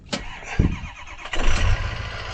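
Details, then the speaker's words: Communications truck with turbo diesel and large generator: brief crank, then it catches about a second in with a deep, even rumble settling toward idle; clean start. "Now we're going to take a look at this thing, but before we can do it, we have to start up this turbo diesel. And that goes something like this."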